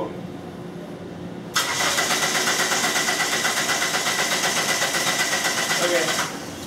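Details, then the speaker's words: 1997 Dodge Neon 2.0L that won't start after a transmission replacement, with no spark and code P0320. The starter cranks steadily for five seconds without firing. The scope shows a cam signal but no crank signal, and the fix was repairing broken crankshaft position sensor wires. "So, as you can see, we have a cam signal. We're missing our crank."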